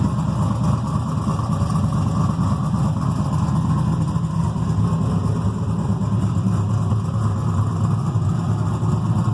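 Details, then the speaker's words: Freshly built carbureted 6.0 LS V8, mechanical fuel pump, distributor, stock crank, rods and rocker arms, 10.48:1 compression, heavier pistons, solidly frame-mounted: even steady low rumble with faint lope, no knocks, misses or vibration; normal idle. "i figured if there's any uh uh balance issues it should vibrate your teeth and it doesn't it seems like it uh is nice and smooth um yeah so there you have it sounds good runs good"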